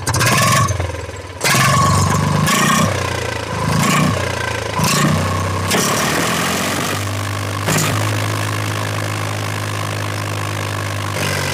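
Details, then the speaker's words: Eicher 485 tractor diesel after fixing white smoke and hard starting: fires up after a few blips and settles into a steady, even chug with no top-end clatter, firing evenly where before it sputtered. "तो देखा दोस्तों आपने बिल्कुल एक Hisar firing दे रहा है पहले पर पड़ा रहा था ना"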